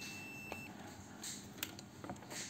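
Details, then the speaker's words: Shorted capacitor on the 5V main rail of a Matrix Apple HD STB that was totally dead even on a phone charger: a few short meter continuity beeps over quiet room hiss confirm the short. "dan biasanya untuk kapasitor yang korslet kita cek menggunakan bzer pun akan berbunyi Oke berbunyi"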